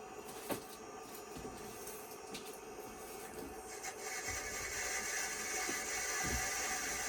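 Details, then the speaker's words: IBM PS/2 Model 25 (8086) with 20 MB hard disk: quiet drive gives a gritty scraping hiss with sharp clicks about every second; failing, grinding drive later judged dead. "see if we can least boot from it even though it sounds like uh somebody's dragging their muffler down the street"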